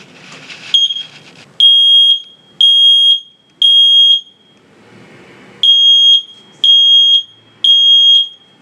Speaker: When it smells smoke, it makes a loud beeping noise to let you know that there could be a fire. Let me show you what it sounds like.